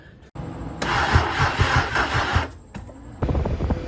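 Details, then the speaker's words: E36 BMW 328i convertible, sat two years, after new spark plugs (the old ones badly crusted) and possibly one coil pack replaced; the coil packs are getting power. Starter churns in two even chugging bursts but never fires: crank no start, no spark. "at the moment we don't have any spark i replaced um other spark plugs they're disgusting"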